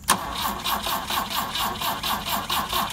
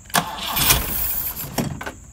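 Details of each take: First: Long-dead fake BMW 2002tii started with its entire electrical system bypassed, running on only six direct wires (remote start switch, fuel pump feed): steady starter cranking about four beats a second, pause, then catches and settles to even idle. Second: Transplanted fuel-injected engine in a fake BMW 2002tii started on four wires bypassing car wiring, electric fuel pump not connected, starting fluid sprayed in: starter cranking, then a couple of quick firing bursts that die away at once; no fuel delivery.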